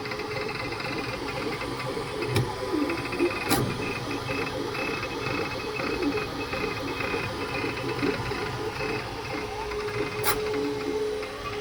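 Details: Creality K2 Plus 3D printer, about a week of use, firmware updated 2025-05-01, printing unusually slowly (owner unsure if print setting is why): steady stepper hum with shifting tones and a few sharp clicks; owner thinks it sounds different than before, cause unknown.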